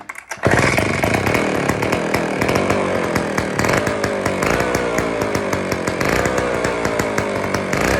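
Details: IEL Pioneer HM chainsaw, old two-stroke, first run after fuel-system priming: crisp, even buzz settles in right after it catches, running steadily; carburettor still needs fine adjusting.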